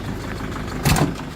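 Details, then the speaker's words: 2001 Mercedes Sprinter W903 diesel at 231,444, cold start after sitting since 2019: rough idle with slight smoke and a puffing chuff breaking through, the injectors chuffing comically badly. "You can see the injectors chuffing. That's how bad they are. Good girl. It's actually like quite comically bad."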